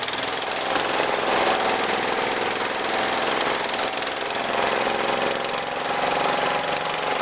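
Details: John Deere 210 tractor single-cylinder, rebuilt carburetor, first run in over a year, jump-started on fresh gas: chugs unevenly with an erratic choppy beat; rough running after long storage, throttle needs adjusting.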